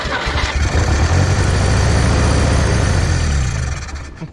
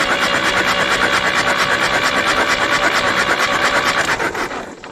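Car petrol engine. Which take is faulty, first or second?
second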